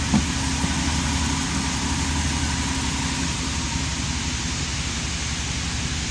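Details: Low, steady idle of a 5.7-liter engine after successful repair of a cold-start clicking noise; even beat with no clicking or tapping, engine sounds healthy.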